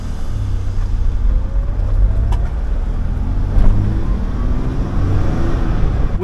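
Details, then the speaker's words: 1996 Toyota 4Runner with a used, neglected 5VZ 3.4L V6 after head gaskets and reseal, driving away; steady low drone, no ticking, knocking or whine, engine smooth. "oh man she is smooth no weird"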